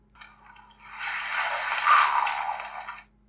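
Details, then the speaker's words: Tomy 2010 Harry Potter Monster Book of Monsters toy, sold faulty as stuck shut: a short motor whir with a dry scraping grind for about two seconds, yet nothing releases; the belt-driven latch mechanism is jammed. "i think that's the right noise to suggest that it's opening but it still isn't opening"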